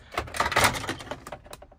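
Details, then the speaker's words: Truck door with a broken retaining tab on its trim panel: quick bursts of hard plastic clicking and clattering as the loose panel is pushed and shaken; it rattles while driving. "But it rattles. And I don't like that. You can hear it rattling. Like, it rattles. I don't like that when you're driving."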